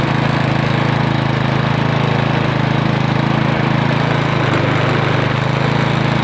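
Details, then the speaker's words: Briggs & Stratton 8.50 OHV lawn mower engine, hard to start after hitting a rock or stump, running after the flywheel-to-magneto air gap was reset; no internal damage was found. A steady, even hum at constant speed with no misfires, knocks or hunting. "Alright, that does sound pretty good. I'm really happy with that."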